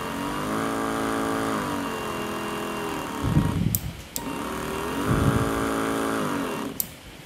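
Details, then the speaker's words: Electric knapsack sprayer pump, previously weak spray and noisy from a weak battery, now wired directly at full speed without the potentiometer: small motor spins up to a steady high whine, cuts off and restarts cleanly, running normally. "langsungnya berkecepatan tinggi tanpa potensiometer. Jadi, itu sudah menjadi hal yang normal."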